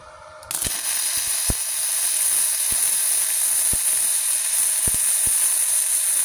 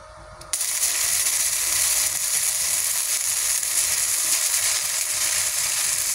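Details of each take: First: Gasless flux-core MIG on a cheap Multipro MIG-MMA/TIG 160 welder, with the torch and ground clamp on the polarity shown as correct: a steady, even frying crackle for about eleven seconds with no popping, a clean and stable arc. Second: Cheap multipro MIG-MMA/TIG 160 welding gasless flux-core (no CO2) wire with the ground clamp and torch connections on the wrong polarity: harsh, erratic crackling and popping arc, leaving spatter grains that don't fuse into the plate.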